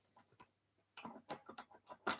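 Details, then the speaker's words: Wood lathe, blank held between centres, tailstock slackened less than half a turn: sharp rhythmic ticking, several quick clicks a second as the blank spins; the workpiece has worked loose between centres and needs more tailstock pressure. "can you hear that it's loose now okay and I haven't touched anything so now let's undo the tail stop all right and yes you will get that spin"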